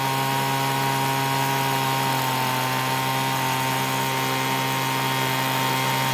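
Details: Free Weedeater leaf blower that wouldn't start, after repair: small two-stroke holds a steady high even drone with no stumbling; runs cleanly.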